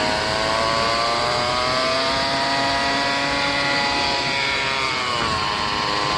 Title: Toyota Rav4 Transmission Whining Noise at Low Speed 40-50 kmph #shorts #toyota #transmission #noise